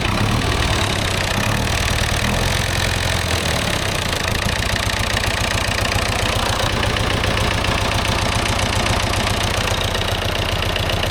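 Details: David Brown 990 diesel tractor abandoned 20 years after tipping over while running, fuel system flushed, fresh fuel, air filter checked, oil not yet changed: steady even idle with regular low chug, no knocks or misses; runs, sounds not bad.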